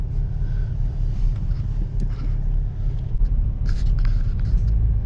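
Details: 2005 Subaru Outback test drive after replacing front passenger wheel bearing, under 40 mph: only low, even road rumble, no growl or hum rising with speed; new bearing sounds healthy.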